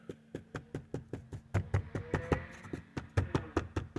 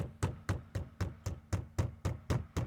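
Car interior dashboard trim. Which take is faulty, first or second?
second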